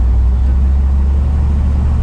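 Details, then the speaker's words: Squarebody K30 truck that sat in a Texas field for years, possibly since 2019, running after a fuel system upgrade and troubleshooting: steady, even low rumble with no knocks, misses or stumbles; normal running. "sure is running now mike and trey trouble shot this thing"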